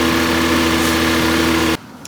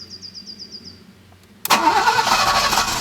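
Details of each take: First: Alfa Romeo 90 first start after 22 years standing, totally cold engine and exhaust: steady, even idle with smooth low hum, no stumbles or knocks; later, when warmer, misfires and swimming idle appeared, possibly old fuel. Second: Alfa Romeo 90 standing 22 years, after a new fuel pump and coil: starter whirs about two seconds and the engine coughs but never catches; crank-no-start from clogged fuel injectors.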